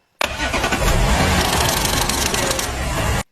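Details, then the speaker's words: Porsche Panamera 3.0L V6 EA837 on cold first start: harsh metallic clatter from slack timing chains, a known cold-start fault of the two timing chain tensioners; replacing them usually fixes it. "啊有一个通病，就是冷车呀启动时候咔啦咔啦"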